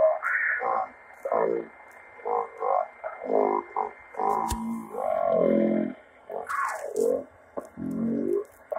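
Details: Radio making weird noises: irregular bursts of low, muffled, tinny warbling croaks coming and going every second or so; cause unknown.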